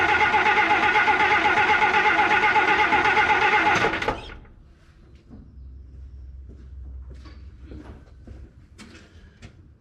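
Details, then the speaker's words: Abandoned 1953 Plymouth Cranbrook, unrun for 25+ years, on a new battery: steady rapid starter cranking, about four beats a second for four seconds, then stops, as the mechanical fuel pump pulls fuel through a short line. No firing yet. "I'm try to position this camera so we can see if the uh fuel is getting pulled up with the fuel pump"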